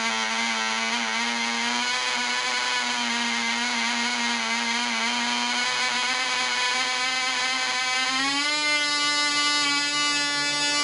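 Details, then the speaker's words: Black Widow mouse racer glow engine (high-compression head, 5x3 prop, 24% nitromethane) on its first test run. A steady high buzz holds constant pitch, then steps up near the end; it runs smooth but maybe slower than expected and won't cut off when the vent is closed; owner suspects an air leak. "it sounds like it's running smooth it just won't cut off when I close the vent so got a little air leak somewhere"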